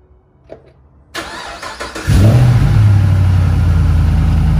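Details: LS3 V8 cold start: after crank and catch, fast idle with a light, quick ticking lasting about one minute then fading; owner unsure whether lifter noise or piston slap.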